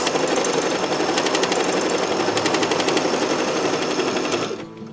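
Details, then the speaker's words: Sewing machine stitching at speed after needle change, oiling and cleaning to cure a squeak: fast, even stitching chatter about four beats a second with no squeak or knock; running smoothly and freely, normal. "I've changed my needle I've changed done all the oil up and clean up and hopefully it's sounding much much happier"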